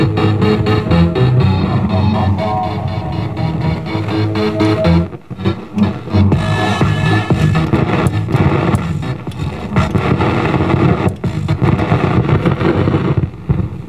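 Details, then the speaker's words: 1951 RCA A-108 AM/FM console radio chassis, recapped with new mylar and electrolytics, on test speaker; station music with irregular crackles and sputtering bursts; suspected bad mica capacitors in AM IF cans, later replaced; crackling noise in audio. "I may hear bad mica capacitors here that noise kind of the weird thing is is that bad mica capacitors can show up after a little bit of use"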